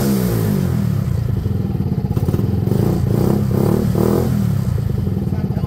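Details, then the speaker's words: Benelli Velvet after wiring checked, running on original coil with no airbox, exhaust hot: crisp, regular firing climbs cleanly with each throttle blip and settles back without misfires; engine runs healthily. "I agree I agree it sounds healthy but that's it that's it running off its own fuel with no airbox"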